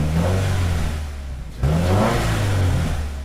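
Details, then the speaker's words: 2015 Subaru WRX with rebuilt FA20DIT turbo engine, first start after shortblock-up rebuild: clean, smooth revs rising and falling twice, steady deep exhaust note, no knocks or rattles, boost gauge at -10 psi; normal, healthy revving. "I got boost at negative 10 psi oh it sounds good [ __ ] yes dude that's so sick"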